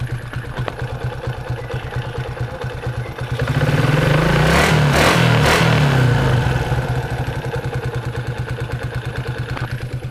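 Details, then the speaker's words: Yamaha Jupiter MX after repair of a hum/whistle ("crying") noise inside the engine that also dimmed the headlight: engine idles evenly and revs smoothly with no whistle or hum, headlight now bright. "mesin juga udah halus gak ada bunyi-bunyi itu ya gak ada bunyi-bunyi suling atau bunyi-bunyi dengung bisa didengarkan saya gas"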